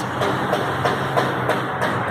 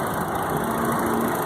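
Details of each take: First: 2000 Chevrolet Astra idling with a rhythmic scraping tick about three times a second near the timing and accessory belts; coolant is dripping, and the worn water pump is to be replaced. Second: 2000 Chevrolet Astra after replacing water pump, accessory belt tensioner bearing and accessory belt for noise near the belts: steady, even idle, smooth low hum, no chirp, squeal or bearing rumble; normal idle.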